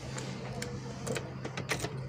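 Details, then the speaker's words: Toyota Avanza engine starting and idling with irregular sharp clunks and rattles; the rubber of the transmission mount linking engine/transmission to the body has torn loose, letting metal hit metal, causing vibration and gluduk-gluduk knocks. "jadi transmisi di bawah ini sudah terputus ya teman-teman jadi pengikat antara penghubung antara bodyi mesin dengan transmisi ya mesin transmisinya itu sudah terpusut maka tidak karkaretnya itu lepas maka akan bergetar"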